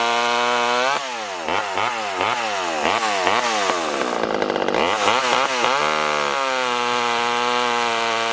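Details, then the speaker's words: Poulan 1800 Wood Shark chainsaw after carburetor rebuild, hand-filed chain, six-pin sprocket, cutting wood: screams at high revs, pitch dips and recovers as the chain bites, then steady full throttle; runs healthy. "this definitely ain't winning any races and you could probably see the chips coming off of that"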